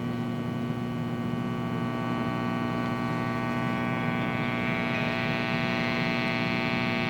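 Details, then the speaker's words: 1979 Fender Super Twin Reverb tube amp, input jack 1: only a steady low mains hum, faint buzz and slight bleed-over, no guitar signal. That input circuit is dead; later repaired at the input jack. "Input jack number 1 does not appear to work. As you'll see in the following clip, you can hear some slight bleed over if you listen carefully, but obviously there's something wrong with the circuit."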